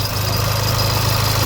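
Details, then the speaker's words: Crashed VW Polo R Line, first start after swapping the engine wiring harness; owner suspects an unchanged, loose oil pump chain: low idle with a slightly uneven, lumpy pulse; lumpy idle, possible misfire. "quite lumpy"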